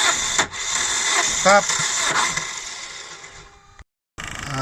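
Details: 2000 Holden Astra, 1.8 L 18XE engine: long steady cranking, about three beats a second, never fires; no spark or injector pulse seen, runs sluggishly once started. Crankshaft position sensor suspected, not confirmed; to be replaced.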